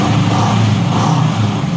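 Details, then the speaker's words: Honda CB750 barn find running after about 10 years unused: uneven, lumpy fast idle with occasional pops. The accelerator pump wasn't working and old debris is likely still running through the system. Carburetors still need adjusting; it runs rough but fires. "They're popping a little bit and stuff. Yeah, I got a little bit of work to do to it, as you can tell, but she's trying."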